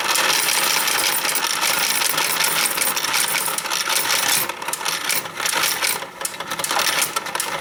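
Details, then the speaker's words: Royal Sovereign FS-44P coin sorter running: coins rattle through with irregular light clicks about once a second from the anti-jam mechanism; normal clicking while running. "But again, you hear that clicking sound when it's running? Again, that's normal."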